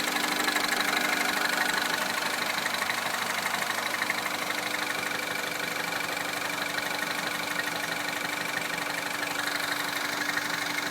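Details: Citroën DS3 Racing engine, abnormal noise at idle: steady idle with a light, fairly regular tick about three times a second over a bright hum; cause unclear.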